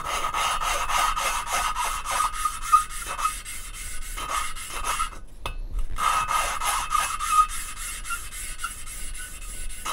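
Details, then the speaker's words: Hand lapping of valves in a Mercedes OM646 821 diesel cylinder head during head assembly: rhythmic back-and-forth rasping strokes with soft rustling between, becoming smoother and more rustling as the abrasive paste breaks down finer and seating improves. "а звук уже такой по приятнее более шелестящий там внутри абразив и он в процессе притирки изменяет свою Фракцию становится более мелким"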